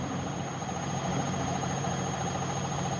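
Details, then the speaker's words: Bosch WAE24364GB washing machine after a new motor, spider arms checked with no play found: a steady low drone with a loose, uneven throb and heavy cabinet vibration during an unbalanced-load spin. "It's an unbalanced spin that, isn't it?"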